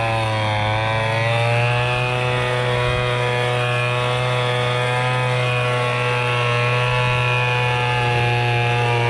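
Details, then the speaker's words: MTD Bolens BL125 leaf blower after carburetor repair and adjustment, previously bogging and not starting: strong steady high buzz at full throttle without dips, surging or bogging; running clean. "hear it's running perfect now let's try her out"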